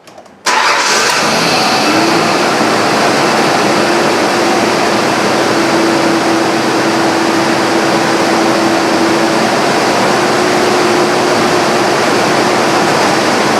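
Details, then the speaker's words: 1998 Ford Ranger 3.0L after its fuel injectors were replaced to fix a misfire from a dead injector: fires instantly and holds a smooth, even idle with no stumble or shake. Normal idle after repair. "That's a whole lot better. No shake. Much better."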